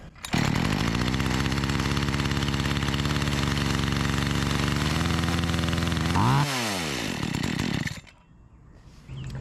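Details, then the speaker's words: Makita EA3200S chainsaw after carburetor diaphragm work, low-side mixture being adjusted: first too rich, then leaned too far; buzzy two-stroke runs fairly steady, then revs flare and fall away before dying, incorrect idle mixture. "trying to get this dialed in a little bit here I think it was actually running too rich right off the bat so I leaned it out and now it's running just a little too lean so I'm trying to find that"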